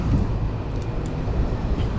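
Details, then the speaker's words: Carrier rooftop unit after fixing a low-voltage fault from a dead thermostat; belt had screeched from air coming the wrong way: now even low rumble, no squeal, running quietly. "uh nice and quiet now nice and quiet now"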